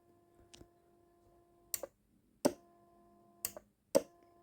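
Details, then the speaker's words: Optim 270 CB radio, speaker with squelch closed: faint steady hum with switch clicks, from the built-in transformer putting background hum on the speaker; transformer hum in speaker. "это их проблема. Проблема трансформатора, который стоит здесь и даёт фон на динамик. От этого никак не избавиться, поэтому все уже смирились."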